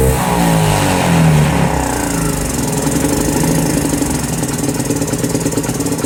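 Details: 2018 Lance Cali Classic 125cc scooter (revived non-runner); revs up, then sags and stumbles with a lumpy beat and won't hold idle. The owner suspects the carburetor and plans a new one. Poor idle; cause suspected.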